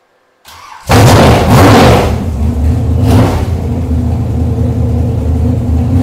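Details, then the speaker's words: Mystery 454 big-block Chevy on a test stand, cold day: catches, blips twice and settles into a deep, steady, even idle with no knocks or ticks; runs nicely. "I put more than 2 gallons of fuel through this engine already. It runs nice."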